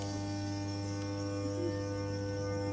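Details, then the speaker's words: Train with a thyristor chopper traction drive (pre-IGBT thyristors, low carrier frequency): a steady low whine of several even tones over a hum before gear noise drowns it out; normal sound. "this is also back before igbts were a thing we just have thyers which can't switch as fast transistors don't appear until a bit later anyway this gives us the low sound because we have a lower carrier frequency at least before the gears drown out"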